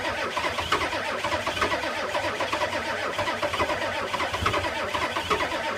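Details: 1985 Ford F-250 6.9 IDI naturally aspirated diesel in extreme cold, about -34; slow, labored starter cranking with steady rhythmic compression pulses that never catch or fire. Crank, no start.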